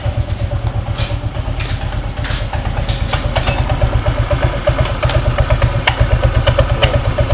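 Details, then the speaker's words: Honda Vario 125 scooter idling with a faint chirping "crit" squeak from the CVT belt-drive side, loudest at first start and at shutdown; cause found as a CVT ring forced in wrongly during earlier reassembly. "saat e pertama kali dinyalakan di sini muncul suara Crit dan setelah nyala tuh pak saat stasioner langsam"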